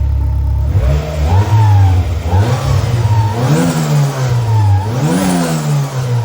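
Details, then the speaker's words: Turbo B18 Honda Civic 4-door sleeper with custom exhaust, revving from idle; three clean blips rising and falling smoothly with faint turbo spooling whistle, sounds like it's making boost; healthy, free-revving turbo motor. "so the exhaust doesn't sound too bad but I already started it and I reved it the turbo sounds like spicy sounds like it's making boost just revving"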